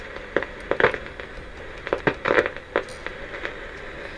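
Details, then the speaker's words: 1957 Bush VHF64 valve radio tuned to FM: irregular sharp crackles and pops over steady hiss; crackling also present on long and medium wave but quiet on phono. "what about FM no crackling but that sounds oh no there's crackling"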